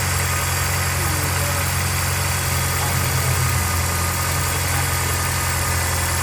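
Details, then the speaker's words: 2003 Honda S2000 cold start: rough low idle drone with faint steady whir above it; owner suspected tensioner pulley, confirmed by spinning it with serpentine belt off; worn tensioner pulley bearing. Fuel leak at injector rail also found. "um well we have two issues one of them is that spinning noise I really don't know how to describe it I believe it's coming from the tensioner pce"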